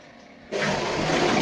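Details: Big-flush test of a newly installed upstairs macerator toilet: a sudden rush of water holds strong and even, like two flushes in one, with no gurgle or pump strain; a normal flush.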